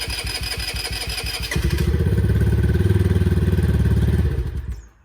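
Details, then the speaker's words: 4-stroke 2009 Eton Viper 70cc ATV, choke on, powered by a boost box because the CDI needs battery power: quick cranking catches into a brisk steady putter for about two seconds, then dies; engine starts and runs. "And it's running. All right, we saw it pop off and run there for a second. That's pretty awesome."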